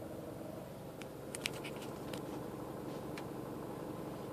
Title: Mini cooper rattle noise